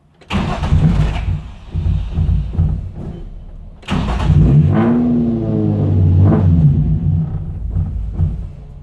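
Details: Infiniti G35 after engine pulled, new clutch and flywheel; throttle response worsened after refuelling, now long cranking spells at steady rate with no firing; crank sensor, MAF, throttle body, VVT solenoids checked, fuel pump heard; owner suspects bad gas.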